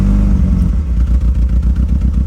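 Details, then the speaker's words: 1987 Honda Accord carbureted four-cylinder, started on choke with one pedal pump after long struggles: low throaty idle, fairly even with light tappety clatter; now running properly, like a normal car. "turned it up. It's running really well. That sounds like a normal car! It does!"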